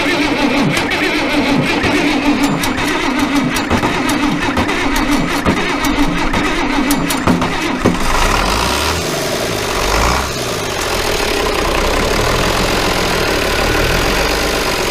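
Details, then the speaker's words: International Harvester 1086 diesel tractor engine, fire-damaged and sitting for years, test start: steady rhythmic cranking for about eight seconds, then it catches and settles into an even, smooth run; normal engine start. "oh that thing sounds pretty nice at the risk of getting doused in a hydraulic oil i'm going to try her one more time just for a second oh that sounds beautiful"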